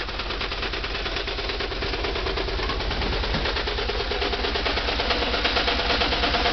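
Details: VW Type 4 2-litre air-cooled flat-four: sharp rhythmic knock hammering through a rattly idle.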